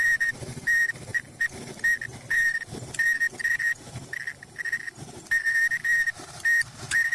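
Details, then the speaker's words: Front-load dryer running: loud high squeal pulsing about every three-quarters of a second with drum rotation, appearing after it runs a while; traced to the worn front drum slider, to be replaced. "Yeah, that's the front. That's the front slider. It's right there. That's the point right there."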